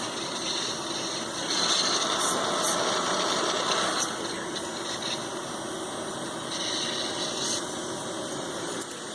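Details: Cooling fans of an ICS Advent Pentium III industrial PC, heard with all covers on after an attempt to clean the worn fan filter: steady airy whoosh with a constant high whine, no rattle or grinding, normal operation.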